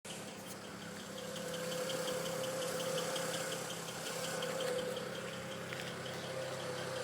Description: I was a bit worried about the ticking noise the N54 produced. From my research it turns out that the car is a bit noisy from the injectors and normal.